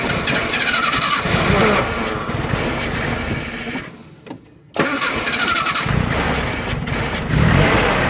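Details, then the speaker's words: Nissan Hardbody in freezing cold after sitting in the street a while: the starter cranks at a steady beat, pauses, then cranks again but it never fires; cranks but won't start, cause unknown. "link still nothing it just kicks over so I'm not too sure what's going on guys"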